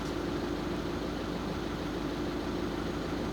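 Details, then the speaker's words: VW Caddy 1.6 TDI with two new and two old injectors; a new injector was fitted and coded, and it now runs worse than before. Uneven, lumpy diesel idle with a loose stumbling rhythm over clatter. Injector deviation quantities are out; a minimum quantity deviation reset is being done. "I fitted it, coded the new injector and it's not running properly now. It's running worse than it actually did before."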